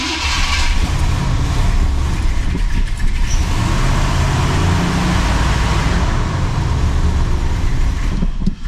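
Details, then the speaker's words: 1980 Cadillac Deville first cold start after sitting about six months through a Minnesota winter: after cranking and a couple of pedal pumps it catches, stalls once as usual, then settles into a steady, deep, even rumble with no knocks; normal cold idle. "Okay, that's pretty normal for this car. It doesn't want to stay running that first time, but you want to listen for any bad sounds."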